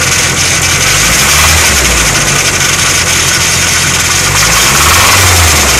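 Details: Nissan SR20 engine at idle: a quick, fairly steady tapping about four per second over a hissy background. Owner suspects rod knock, unconfirmed.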